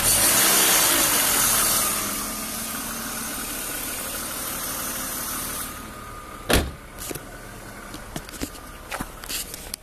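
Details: BMW E36 328i convertible, M52B28 engine at idle: sharp airy hiss from around under the intake manifold plus a faint rattle seemingly from the engine itself, not the VANOS area; owner suspects old oil (oil change long overdue). Cause unconfirmed.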